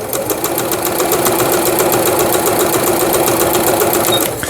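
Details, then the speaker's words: Juki HZL-K65 horizontal-hook sewing machine after repair, quilting and overlock stitch test: quick, even needle ticking at a steady pace with no grinding or clunks. Stitches smoothly and sounds healthy. "누빔 바느질 또 해보는 거고, 그 다음에 오버록 스티치,"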